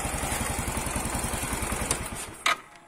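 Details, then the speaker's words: Yamaha Mio M3 125 scooter at idle after cylinder block, piston and head replacement (it had run out of oil): steady, even putter, smooth, with no rattle or the earlier scraping noise. "Hai sudah halus suaranya sudah tidak ada suara kemresek begini"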